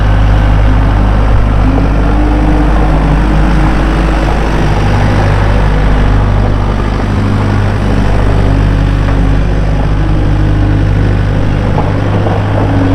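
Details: 2012 Bobcat S185 diesel skid steer, 4-cylinder turbo, 6693 hours, starts and runs smoothly: deep, steady diesel idle with an even low thrum, no knocks or misses; normal healthy idle.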